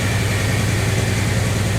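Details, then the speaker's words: Jeep TJ first start after sitting a long time on year-old gas: low, lumpy idle with an uneven beat that never smooths out, a rough idle; owner suspects a vacuum leak, fuel system needs fresh fuel. "It has sat for a really long time, so needs to get some fuel in the system. And it's running rough."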